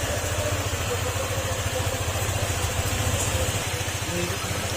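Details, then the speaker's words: Honda ADV150 scooter that had a knocking noise, after block and fuel pump replacement: steady idle with a light, even valve tick about three or four per second, no knock; normal Honda valve clearance noise. "yung lagitik na konti mga normal naan sa an mga Honda"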